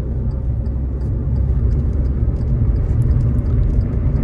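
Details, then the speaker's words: Hyundai i20 test drive after full service and engine decarbonization: steady low engine hum under even road rumble, no knocks or ticks; engine now smoother and quieter with better pickup, normal running. "डिकार्बन केलं आहे गाडीला. डिकार्बन केल्यामुळे गाडीचं engine smooth झालं आहे, आवाज कमी झाला आहे, गाडी एकदम फ्रीली पडायला लागलेली आहे स्मूथली."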